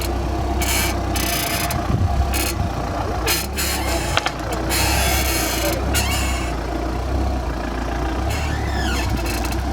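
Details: Audi A4 B8 at idle: bursts of dry, rasping creaks over steady engine idle as the steering wheel is turned.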